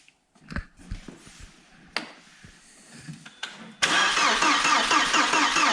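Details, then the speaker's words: Audi A4 1.8T farm/barn find, long-sitting, mouse-chewed wiring: clatter and handling, then the engine catches and runs only on starting spray through the intake; the fuel pump wasn't working, so no fuel delivery. "it's a shame the fuel pump wasn't working so what I'm going to do today is I'm going to get the fuel pump out"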